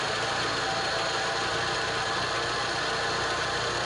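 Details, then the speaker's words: Peugeot 406 petrol at idle has a steady, rhythmless whirring grind from the front accessories. The owner suspected another part, but the noise is traced to a worn AC compressor clutch bearing, which goes quiet when the AC is switched on. "الصوت يرحي هذا الصوت هذا الصوت اللي يرحي اللي يسمع فيه هو اللي يقول هذا يقول ممكن من الانترناتير يقول ممكن من السيسي هو لا هو من المكيف هذا المكيف"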